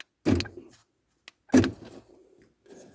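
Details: Ford Focus Mk2 after pairing key fobs via an ignition 1–2 cycling procedure: two sharp door-lock thunks about a second apart as the fob is pressed, firing cleanly each time. Central locking works normally.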